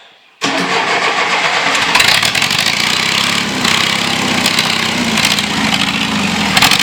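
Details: John Deere 2640 diesel tractor being revived, on a new battery: silence, then it catches almost instantly and settles into a loud, steady open-exhaust clatter. Normal start and run.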